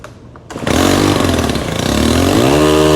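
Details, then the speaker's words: STIHL FS 131 R trimmer, hard to start, won't stay running, no mid-range, choked and revved: fires and revs, then sags and stumbles on throttle release instead of idling; air leak, valve cover area oily. "Now you're going to be thinking, well, it's got an air leak. If you assume that, you are absolutely right."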